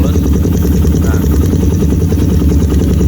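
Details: Motorcycle with PWK carburetor after setting, clip set to top position; low, steady thumping idle with no hunting or stumbling, smooth even tickover; normal idle.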